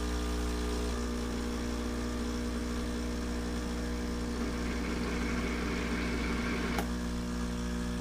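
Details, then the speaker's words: Keurig Rivo R500 cappuccino and latte machine pulling a short espresso: steady, even buzzing hum at constant pitch with no stutter or surging; normal espresso pump. "And this one also says to pull a short espresso, so we're going to do that. All right, so we'll go ahead and do the short espresso."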